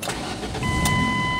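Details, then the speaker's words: 2003 Ford Escape, manual transmission, that died while driving with no crank, no start and a check engine light (PCM "not equipped"). After its wiring was checked, a short crank catches and settles into a steady run with no stumble. Normal start. "yun ah umandar na mga sir Try na nating ive yan R natin So Ayan so Ayan umaandar na"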